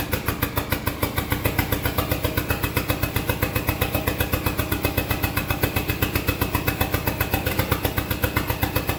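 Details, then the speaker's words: SRT-4 engine in a drift truck, first test start. Rapid, slightly uneven pulses near four a second, hunting at idle. Rough, unmanaged idle because the throttle position sensor is missing, so idle can't be added. "TPS, so I can't add idle, but it's running. Doesn't have a throttle position sensor, so it doesn't know what it's going to."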